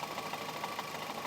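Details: Skoda Octavia A7, mileage 23 (units unstated), cold idle: a steady light knock, about six or seven per second. Owner suspects the clutch, and the knock is gone once the engine is warm. Knocking at cold idle.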